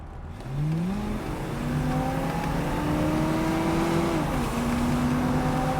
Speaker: That's to 60 miles an hour, no hesitation. That Rochester carburetor sucks the air in quickly, and it escapes right out those tailpipes.